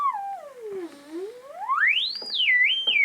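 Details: AWA R7077 beat frequency oscillator, circa 1943, before cap and resistor replacement: clean whistling tone glides down, sweeps up high and wavers as tuned; works, calibration doubtful, magic eye not fluttering.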